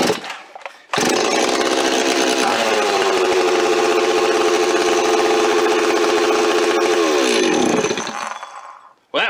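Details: Stihl 026 chainsaw rebuilt from a stripped parts saw with aftermarket parts, fresh high-octane fuel, first start with choke and compression relief: quick catch, then a steady, even high-revving buzz for about seven seconds before shutoff; runs cleanly.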